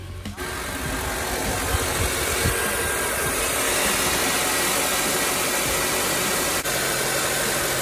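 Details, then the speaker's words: 2004-08 Acura TSX after serpentine belt replacement to cure a scratchy belt noise: a smooth, steady idle with an even hiss and no chirp or squeal from the belt. "running right now running smooth"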